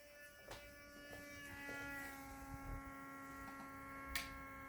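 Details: Window with newly fitted plastic reveal trim, with a draft from a window opened in another room: a steady mid-pitched drone with a ringing overtone and faint clicks. Unfoamed gaps under the trim are suspected, not confirmed.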